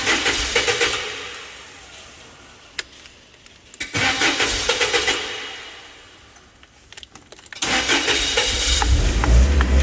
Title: fork lift hard start right after repairs